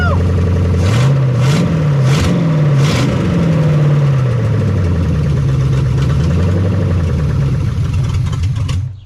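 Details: 1975 Chevy Nova V8, just started after sitting 35 years: catches and settles into a fast, hunting idle that won't drop, from uncapped vacuum leaks needing caps.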